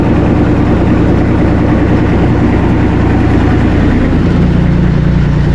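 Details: Bomag BMP 8500 compactor that was stalling from fuel starvation, after the fuel filter change and bleeding the fuel system: a steady, even rumble at constant speed with no misses. The fix is resolved.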